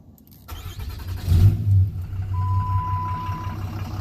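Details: 2007 Dodge Ram 2500 6.7 Cummins, earlier a no-crank/no-start, now with its original TIPM reinstalled: short crank, then the diesel catches and settles into a steady low rumble while a dash chime sounds. Normal start; some fuel pressure, O2 and EGR codes remain.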